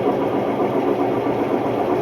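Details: Hotpoint Ultima WMD960 washing machine, recently acquired, test spin: loud steady rough roar with constant gritty rumble; worn drum bearings.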